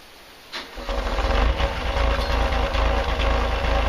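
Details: Denyo DCA-15SS-N genset, 1.6 L 3-cylinder Nissan diesel (18 PS at 1500 rpm), over 30 years old, cold start after preheat following years unused: short crank, fires, settles into a steady, slightly uneven clattering idle, smoking a little; normal cold start.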